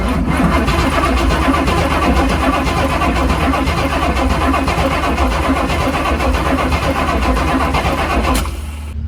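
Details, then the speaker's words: 1979 Chevy Suburban 8-door shuttle, on a jump pack, fuel tank possibly empty or leaking: fast, strong, even cranking for about eight seconds; starter and battery turn it over well, normal cranking. "That sounds quite good. That sounds better than my tow truck."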